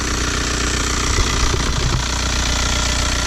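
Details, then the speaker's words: Manual VW Jetta TDI turbo diesel at an auction viewing, just started under the hood: idle with irregular heavy knocking and thumping under the clatter; viewer suspects worn motor mounts, possibly rear, not confirmed. "Start it up. Making a weird noise. These motor mounts. Definitely."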